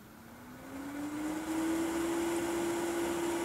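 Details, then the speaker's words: Mid-2011 21.5-inch iMac, CPU fan with Macs Fan Control reset to auto: fan whirs up, rising in pitch, then holds a loud, steady high-speed whine; fan stuck at full speed. "not sure if you can hear that in the background but the furnace started going off again at high speed"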